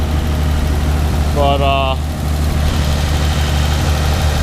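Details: Nissan Z V6, first start, cold, cooling system unfinished, no alternator, AIV and EGR pipes apparently deleted: steady low, even idle with a smooth beat and no knocks or ticks, idling normally.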